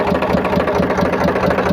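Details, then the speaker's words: Powertrac tractor diesel idling after water pump repair; steady even low beat, no whine or rattle from the front; water pump noise heard before is now gone. "और इसमें इसके जो water pump से sound आ रहा था, तो अभी किसी प्रकार का इसमें नॉइस या साउंड भी नहीं आ रहा है।"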